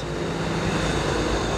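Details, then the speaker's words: Yamaha YTX 125 single-cylinder motorcycle, cold start after 10 days parked with fuel cock off; carb well tuned. Left idling, not yet revved, to circulate oil: steady even low thrum, no knocks or ticks, doesn't stall. Normal cold idle. "So ayan, idle lang. Pero ang maganda nito, hindi siya namamatay."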